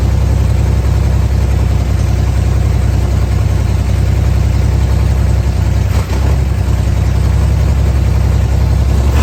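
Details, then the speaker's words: 1964 Chevrolet Corvair, running on gasoline after earlier knocking: smooth, even low idle, steady rhythm, no knocks or misses. Knock gone, normal idle. "yeah so there it was running on gas for the first time again and the knocking did go away it sounded way better"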